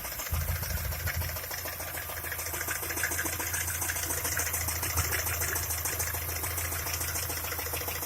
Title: стук двигателя шкода а5 1.6 mpi